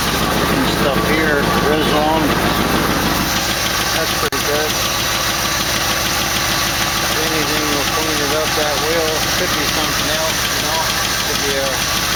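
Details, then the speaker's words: 1968 AMC AMX with an old Motorcraft carburetor just made to mostly work, idling with the exhaust pipes leaking at a gap: light, fast ticking about three per second on top of the idle; lifter tick, maybe slightly improving. "that lifter don't seem to be getting any better maybe a little"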